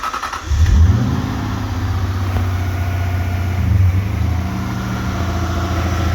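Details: Lexus LS400 (Celsior) 1UZ-FE VVTi V8 during repair of VVTi issues: catches cleanly and settles into a steady, even idle with no rattle or ticking; the earlier rattle is gone.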